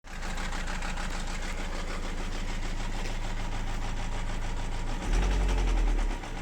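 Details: Renault Laguna 2 1.9 dCi (F9Q) diesel at idle: a steady, fairly even knock of about four per second rides over the clatter; a knock inside the engine, cause not yet pinned down.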